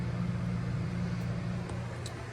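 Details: Old 2200 W Giandel inverter on owner's battery bank powering a 900 W microwave heating water for 30 seconds, voltage dropping slightly; low steady hum, no dropouts, surging or buzzing strain; normal running.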